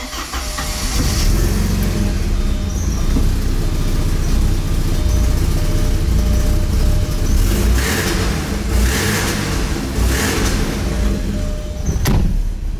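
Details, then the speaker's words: 1987 Porsche 944S 16-valve 2.5 (used replacement engine), after new fuel line and fuel pump and fresh fuel, started cold: uneven lumpy idle with some surging, cold-blooded; fuel pump now quiet. "she's a little cold-blooded get out and check see how she's doing back here"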